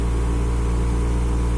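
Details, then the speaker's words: Car air-conditioning blower at speed setting 4, fine on settings 1–2, turbo-like noise on 3–4, started a few days ago: loud, steady, low droning roar with a pulsing rumble and vibration felt in the cabin; cause not found. "okay that noise is you know awful and i even can feel some vibrations here into the car so if you can help me with this problem i will really appreciate thank you"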